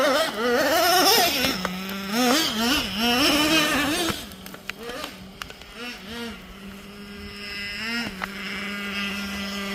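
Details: Nitro RC engine buzzing high-pitched, blipping up and down, then holding a fast steady idle that won't drop, giving jet-like sounds; idle speed set too high.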